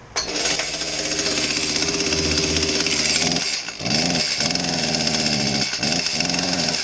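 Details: Echo CS-310 small two-stroke chainsaw revving before repair with a dull, choked exhaust note and little crispness or power, as if breathing through a mask; the cause is a carbon-plugged spark arrestor screen.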